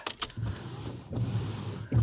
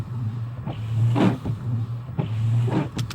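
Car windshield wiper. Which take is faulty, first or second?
second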